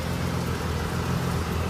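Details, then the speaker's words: Pontiac G6 front-wheel drive, raised, in drive at idle with front wheels spinning freely; comparing sides, one gives a steady low droning rumble; worn front wheel bearing on that side. "You can clearly hear from one side to the other which one has the bad wheel bearing."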